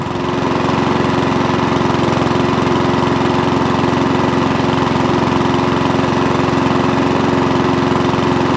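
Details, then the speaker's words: Mountfield 414 (or 164) lawn mower after a fuel-delivery fix that cured surging: starts from cold and runs with an even, steady engine note, no hunting; normal running. "so now it runs start stops fires from cold because we're getting the right amount of fuel through beautiful job"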